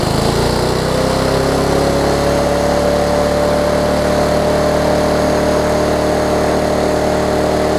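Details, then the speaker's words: Lawn Chief push mower engine, turned 180 degrees with new recoil cover, air filter found backwards: steady run with a thin scrape rising in pitch on top; owner suspects the air filter cover rubbing the guard, unconfirmed. "this thing's scraping on the a little guard scraping on the mower but oh i think it's air filter i think this air filter cover is messing it up"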